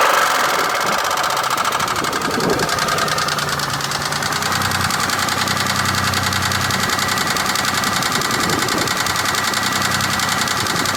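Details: 2003 Chevy Impala 3400 V6 idling: irregular light knocking, roughly two to three per second; owner suspects a pushrod knock, unconfirmed.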